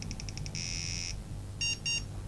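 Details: Early 486SX laptop powered up without its LCD to test for VGA output: six quick high beeps, a long buzz, then two short tones, and it never comes up, a failed-boot POST beep pattern.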